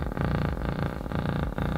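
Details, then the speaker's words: 300 W RMS subwoofer: bass comes out as a harsh, rattly buzz instead of clean bass. The amp tested fine on another speaker, so the fault is in the speaker; voice coil rubbing. "it's supposed to make base not this hideous horrible weird buzzing sound I mean just listen to that that's just outrageous"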